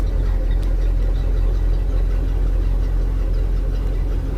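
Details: 2003 MerCruiser boat engine that would not run, started after refilling an empty fuel tank (the fuel gauge float is bad). Deep, steady, even idle rumble with nothing sharp on top; confirmed fix was simply no fuel.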